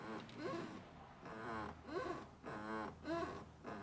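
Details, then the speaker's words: Mercedes wagon steering wheel rocked: rhythmic groaning bed-spring squeaks about once a second from a dry steering column boot at the firewall, worse in cold weather. "if this steering wheels are rocking don't come a knocking it certainly has has that squeaky bed spring sound to it"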